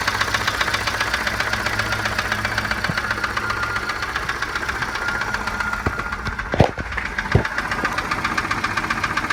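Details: 1987 Volvo 740 Turbo at rough idle, running on three spark plugs because of a faulty plug wire: rapid, uneven knock, about four per second, louder at the oil pan than the valve cover; a shop said piston slap, cause unknown.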